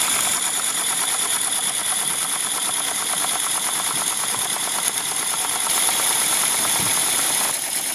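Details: Mamod Quarry SM32 16mm live steam locomotive in steam, jacked up on blocks running forward at low regulator: quick, even chuffs about three a second over a steady steam hiss; running slow and smooth, healthy.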